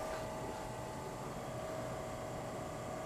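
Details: Old GE Monitor Top CK-2-C16 refrigerator with rebuilt sticker, after about 5 minutes running with frost forming, high side warm: quiet steady compressor hum, faint even tone, no knocking; a runner, running normally.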